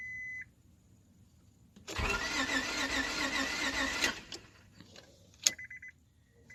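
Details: Car with a newly installed fuel pump: warning chimes, then about two seconds of steady starter cranking without the engine firing; cranks but won't start, and the owner suspects a fuse or relay.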